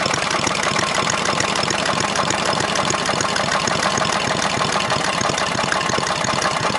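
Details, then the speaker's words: 18 hp opposed-twin engine at steady idle with a sharp, regular knock about three per second, seemingly from the rear of the block, not worsening with rpm. Owner suspects a rod or top-end bearing; cause unconfirmed, and the engine also leaks at the bottom. "uh but anyway sounds like rod knocked me which i can probably fix but like i said it means i gotta tear the whole engine apart"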